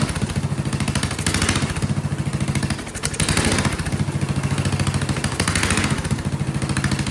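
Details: Vintage Kohler motorhome generator, big flathead engine (guessed 400–500 cc), first start on gravity-fed carburetor with choke shut: speed sags and recovers in waves, surging; owner suspects carburetor needs cleaning or fuel delivery is poor, not confirmed.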